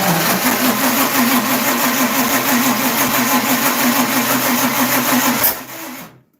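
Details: Dirt track race car engine that had not been building oil pressure, with timing being adjusted and the distributor suspected 180 degrees out: steady starter cranking at about three beats a second for several seconds, never catches. Cranks but won't fire, cause suspected, not confirmed.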